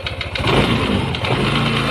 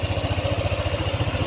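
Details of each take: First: Yamaha NMAX 155 scooter engine starts and settles to idle with a dull knock under the exhaust near the CVT, clearest at idle; a worn, rough camshaft bearing. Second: Yamaha NMAX 155 after repair of a knocking noise, camera held close to the engine: even, smooth idle pulse with no knock or clatter; normal.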